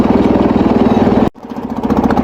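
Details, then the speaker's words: Wheel Horse tractor engine worsening under load; lumpy pulsing run that suddenly drops out and stumbles back, intermittent ignition cutout. "all right so it just got a whole lot worse it doesn't sound good at all"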